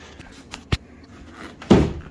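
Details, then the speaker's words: 1999 Chevrolet Suburban GMT400 door before new bushings and door pin roller: light clicks then one sharp loud pop as the door shuts, check strap snapping over a worn sharp lip at the roller; door sagging about 1/8 inch; door check pop. "You hear it's got a nasty pop when you go to shut the door. You gotta push it pretty hard too."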